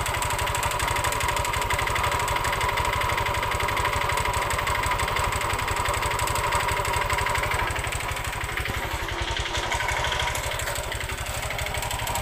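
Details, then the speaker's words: Honda Vario 125 scooter that ran overdue on its oil change: it idles with a harsh, rattly, uneven clatter instead of a steady hum; the piston was found worn and damaged. "Oke kita akan menganalisa Honda Vario ini kita dengarkan tadi Ya seperti yang kita dengarkan di awal Tadi suaranya Kasar banget"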